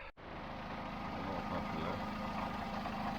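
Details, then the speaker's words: MGB engine at idle: busy idle with dull grumbling rumble seemingly from front timing side; suspected slipper pistons noisy when cold or water pump, not confirmed. "They are a little bit noisy at cold. Often. Right. Not always, but often."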